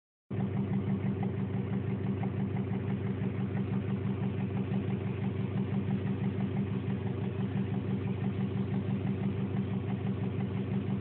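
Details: 2002 Subaru WRX Impreza boxer engine at idle: steady tick about three a second, determined to come from the cylinder head, so not rod knock.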